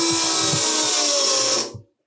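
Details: Ariel Atom replica after fuel rail leak rewelded, fuel pump run to build pressure, holding 3 bar with dry rail: steady high electric whine, even buzz, clean cutoff, no hiss; pump running normally.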